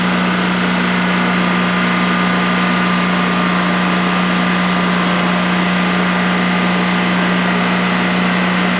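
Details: DuroMax XP15000HX generator newly installed in a shed, on its second start, running on propane with the exhaust fan off: a constant, smooth drone at a fixed pitch with no misses or knocks during a 5-minute check. Normal idle.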